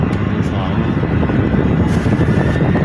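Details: Flood-damaged electric fan revived and reassembled, tested on switch speeds 1 and 2: a smooth, constant rush of air at a slightly higher speed with no rattles or scraping; running normally.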